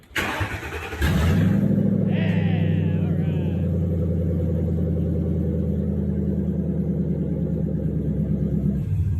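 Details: Rat rod build, start after new grounds and re-soldered wiring; heater still making noise. Brief crank, catches within a second, settles into smooth even low idle, no misses or knocks; healthy.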